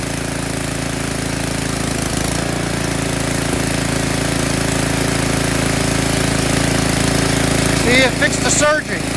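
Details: Tecumseh snowblower small single-cylinder engine after cleaning a clogged carburetor pilot jet that caused surging: holds a smooth, even speed with no rising and falling; running steady and healthy.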